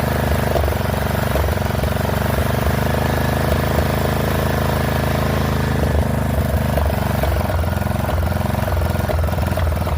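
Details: Poulan XT 12538 riding mower, 12.5 hp single-cylinder, 38-inch deck, warm, on a newly installed carburetor replacing one that leaked gas into the crankcase: lumpy idle with irregular pulses that stumble and catch. Rough running; owner suspects valve clearances are off.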